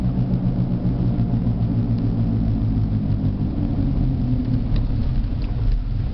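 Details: Jeep Liberty at 60 km/h with a deep, droning growl from a badly worn right front wheel bearing, felt grinding through the steering wheel; the sound changes and wavers as the car is swayed side to side.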